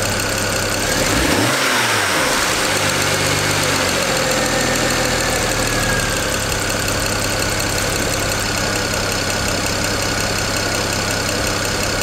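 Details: 2008 BMW 335i N54 twin-turbo inline-six: a quick throttle blip, then it settles back to an even, smooth idle with no misfire or stumble; running normally.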